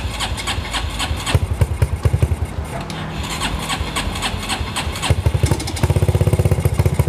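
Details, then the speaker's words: Customized Honda Megapro motorcycle with a coughing, stumbling ("batuk, keclok") complaint: single catches and stumbles with irregular pops and coughs, then a faster, uneven patter. Misfire; cause not yet confirmed. "Jadi keluhan motor ini batuk-batuk dan suka keslok-keslok gitu mas."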